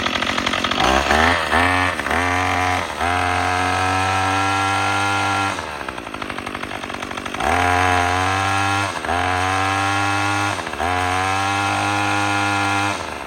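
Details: Troy-Bilt TB22EC string trimmer that wouldn't start after sitting, after primer bulb replacement: small two-stroke fires, revs up and drops back cleanly several times, pulling strong and even on throttle while trimming; it runs properly.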